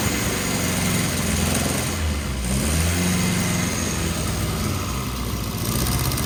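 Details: Freshly rebuilt 948cc A-Series engine with twin SU carbs, first run-in, cold on choke: steady even fast idle, low smooth drone, no knocks or misses; timing and mixture still need adjustment. Normal cold fast idle.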